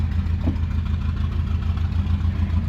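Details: 1977 Daihatsu F10 with a 1990s 3K engine swap and a junk carb: low, uneven, lumpy idle with no clean rhythm. Owner wonders whether the idle is set too low; the faulty fuel pump is hammering fuel out the overflow and leaking from the feed line.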